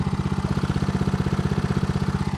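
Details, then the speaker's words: Homemade outboard motor on a small boat during its first sea trial, stored in a basement beforehand. It has run flawlessly for perhaps 45 minutes. At a steady mid-throttle sweet spot it gives fast, even firing pulses with no misses or knocks, running smoothly. "This is a sweet spot. Here it is running really nice."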